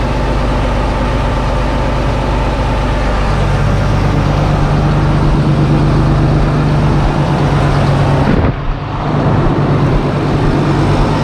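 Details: John Deere 8420T tractor during reassembly after planetary housing install, 15 gallons of oil added, started to check for leaks before refitting tracks: deep steady diesel drone, pitch lifts slightly early and dips once, no knocking or grinding; normal idle.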